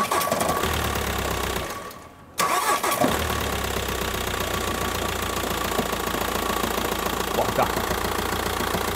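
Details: 2009 VW T5 diesel starting cold: it cranks, catches and idles with an uneven knock over the clatter; dual-mass flywheel is the first suspect, and it sounds almost at end stage; cold-start knock, source unconfirmed.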